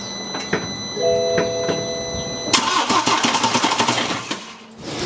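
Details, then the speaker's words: 2013 BMW F31 318d diesel after fitting a replacement starter from a same-engine car: dash chimes, then brisk, even cranking with quick compression pulses, much faster than before. Not started because the crank pulley and oil seal are off. "yep so that definitely cranked over that time a lot faster"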